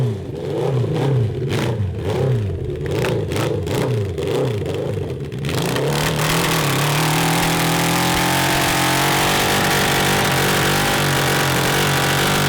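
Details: 1982 Honda CB750 carbureted four in a cross kart, fine below 4000 rpm: under load while riding, revs climb unevenly and stumble near the top with a ragged, stuttering pull. The owners suspect a lean carburetor mixture, since drilling the jets improved it.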